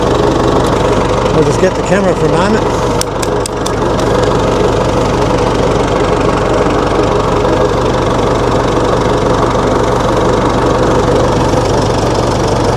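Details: 1960 Massey Ferguson FE35 4-cylinder diesel tractor, after sitting long in a paddock: settles into a steady chugging idle with an even beat and no odd knocks; running normally.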